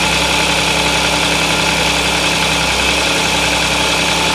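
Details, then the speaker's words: Audi S, cold start idle; two engine noises, a rattling and a croaking, coming and going, obvious cold, not heard warm; harsh metallic rattle steady with engine speed. "它发动机上面有2个声音。一个是啦啦啦啦啦啦啦的声音，一个是呱呱呱呱呱的声音。"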